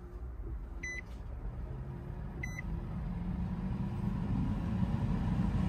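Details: 2015 Nissan Rogue with no heat/AC; blower motor behind passenger glovebox reinstalled and tested before reassembly. Two short chimes, then a steady whooshing fan building smoothly in speed; blower now running fine.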